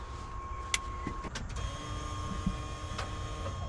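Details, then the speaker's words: 1989 GMC Sierra 1500 single cab stepside that sat for about 10 months, key on while trying to start it: a faint steady electric hum under clicks and rattles, the fuel pump priming normally. "y'all hear that that's that fuel pump that baby priming"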